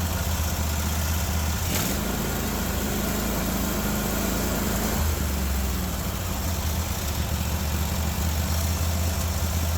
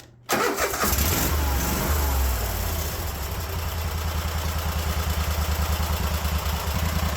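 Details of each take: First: Cub Cadet 1050 Hydro with a Kohler 24 hp SV725 engine holds a steady, fast, deep drone and never settles to idle; the governor won't let it drop, and a linkage out of place is suspected. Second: Cub Cadet 1050 Hydro with Kohler 24 hp SV725 single, after a sticking governor idle cable started working again: brief crank, then it catches and settles into a steady, even putt at idle; running healthy.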